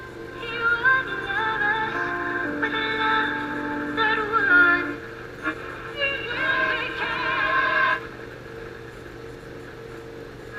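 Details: Emerson AE-163 tube radio after recap and swapping in another tested-good 25L6 output tube to cure distorted audio: music full and steady with no crackle, hum or breakup; output stage now working properly.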